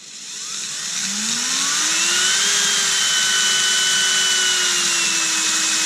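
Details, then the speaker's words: Erbauer 18V brushless drill on a generic AliExpress replacement driver board, speed control tested with its ground wire unsoldered: clean whine climbs smoothly as the motor spins up, then holds a steady pitch; variable speed still works. "So, if I put that back on there now, does our variable speed still work?"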